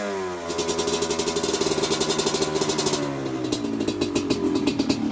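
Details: Honda CRF150L trail bike fitted with a Kawasaki Ninja two-stroke engine, kickstarted before a test ride, fan on with ignition: crisp buzzing two-stroke rattle picking up quickly with each blip and dropping back cleanly; normal running.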